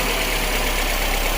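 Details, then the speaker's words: 2019 Kia Sorento that ran rough, surged, stalled with stinky exhaust; after repairing broken MAP sensor wire and pushing on damaged MAP sensor, steady even idle hum with no hunting or dips; idle now smooth and stable. "Look at that. It's fixed. Map sensor. Wire was broke and the map sensor is damaged."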